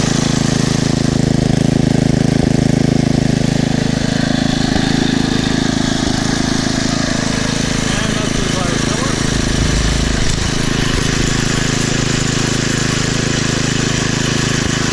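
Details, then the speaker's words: Poulan/Weed Eater VIP garden tiller, 5 HP Briggs & Stratton single-cylinder, 15+ years old, on old gas after tune-up (new plug, air filter, oil, mixture-screw adjustment): even steady putter at constant low speed, no longer revving up and down; normal idle. "and that runs much better now not revving up and down like it [Music] was sounds really good"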